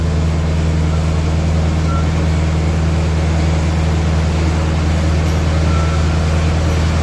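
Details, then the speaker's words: McCormick W6 antique tractor, crank-started with choke after a month sitting, dead battery: low, steady thump at an even idle; it reportedly stalls intermittently, and the owner suspects the fuel tank needs cleaning (unconfirmed). "so I had a problem with the installing on me a few times uh on the way to the shop here"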